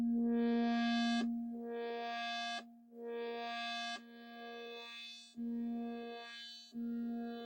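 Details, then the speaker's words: Commodore 128 SID sound chip test after long storage: repeating synth notes with steady clear tones and clean sweeps, no crackle or dropouts; output sounds clean, though some odd sounds were heard earlier near the end of the filter tests. "Yeah, that sounds okay. Quite clean."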